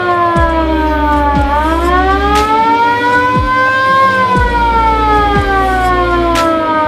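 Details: VW Kombi Bay Window ambulance with its original factory siren and rotator lamp, on a newly fitted battery: the wail sweeps up and down smoothly every few seconds, strong and even with no dropouts; normal siren operation.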